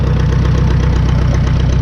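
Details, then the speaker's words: 1952 McCormick Super WD-6 tractor, choke off, throttled down and idling on gasoline before switching to diesel; steady, even low chuffing at slow idle with no knocks or misses, a normal idle. "throttles down some okay now that's running on straight gasoline now"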